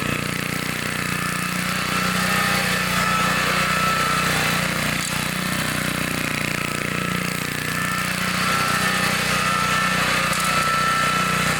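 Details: 1960s Bolens 28-inch Lawn Keeper mower, carburetor not adjusted, sat untouched at least 15 years, cutting grass: single-cylinder pulling steadily, even firing with cutting noise on top, no misses; healthy normal running under load.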